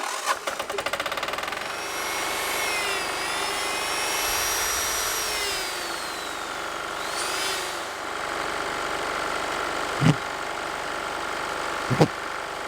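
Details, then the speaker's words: Onan MEP-016B military 3 kW single-cylinder diesel generator, revived after sitting, powering its 120 V outlets: steady even diesel putter holding speed under load with whirring overtones and a couple of clunks; running normally. "all right well now you saw those Outlets do work"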